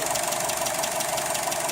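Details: Car engine idling with the hood up on a 15 °C April evening: a steady, quick knock repeats over a thin, hissy running sound, always the same noise; engine knocking at idle.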